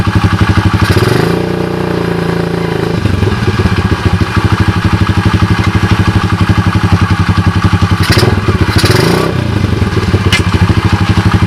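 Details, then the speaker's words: SDG 107cc pit bike single, damaged 3rd and 4th gears and locked kick starter, before Lifan 125cc engine swap: quick even putter with light throttle blips, regular clean firing; sounds good. "as you guys can see it's dark cheesy as you guys can hear it sounds pretty good right"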